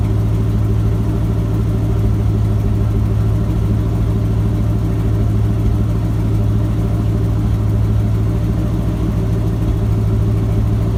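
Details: Ford F-250 with a 7.5L 460 big-block V8 after replacing the starter bypass solenoid for a no-crank, no-start. Smooth, even V8 burble holding a steady idle with no misses, knocks or hunting; engine running healthy.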